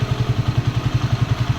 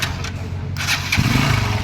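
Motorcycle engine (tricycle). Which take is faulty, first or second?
second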